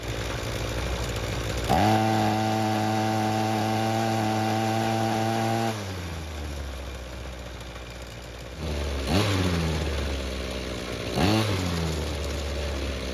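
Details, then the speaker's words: Ryobi two-stroke string trimmer that wouldn't start, after a second ultrasonic carb cleaning and removing a stuck screw, no adjustments made: holds clean high revs four seconds, drops to smooth idle, then two crisp blips. Normal running. "And will you look at that, a second more thorough cleaning is exactly what it needed. The carb now seems to be working like it should without having to make any adjustments."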